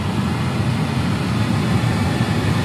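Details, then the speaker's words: Maruti Alto K10/Alto 800 cabin blower, previously noisy and vibrating the dashboard above speed 2: after repair, on high it gives a steady, even rush of air with no rattle, buzz or vibration; normal blower operation. "तो friends यह चल के बाद आप देख सकते हैं बिल्कुल भी आवाज नहीं कर रहा है"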